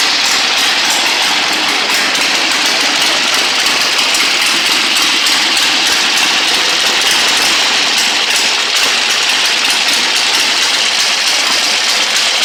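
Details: 1960 Harley-Davidson Sportster Ironhead, unused since 2010, running after magneto points/condenser check, carb service, fresh gas, timing and points set: constant thin hissy engine note, level throughout with no misses or stumbles; normal idle.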